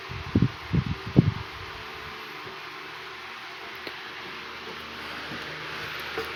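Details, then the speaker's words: 1980s Northernaire 12-inch fan after cleaning and service: steady even rush of air with a soft low hum, no rattle or ticking; blowing much better than before service. "all right it seems it's blowing a hell of a lot better than what it was before all right let's knock it up to medium"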